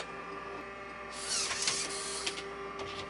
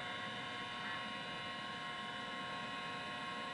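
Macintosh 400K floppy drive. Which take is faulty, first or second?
first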